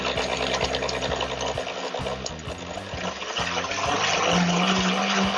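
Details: Countertop blender after zero-cost repair, test with ice, water and iced tea mix on slowest setting: motor spins up steadily while ice clatters irregularly against blades; runs smoothly under load.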